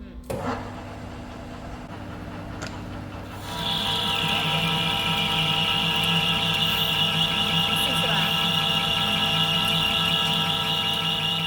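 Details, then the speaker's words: Cummins 6BT Franna crane drive coupling adapter plate turned on lathe from scrap high-grade steel: steady high dry screech over spindle hum as the insert overheats and burns up on the hard material; coolant to be run. "So we can already see and hear that this is a much higher quality material. It is already burning up the inserts, so we are going to run some coolant."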